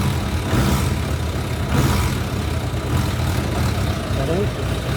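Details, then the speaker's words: Motorcycle after the throttle cable slack was adjusted and the grip repositioned, so a slight pull now opens the throttle where it once needed a long pull: steady low idle with quick, clean rev blips that rise and fall promptly, crisp response. "Puxou um pouquinho ela já abre logo os quatro antes não era tinha que puxar muito para trás para poder ela ter aceleração"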